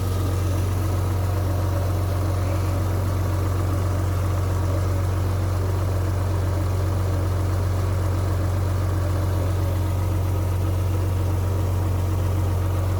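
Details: Rover 800 V6, about 85,000 miles with full service history, first start after standing unused for years: smooth, even low hum at a steady idle with no knocks, misses or hunting; normal idle.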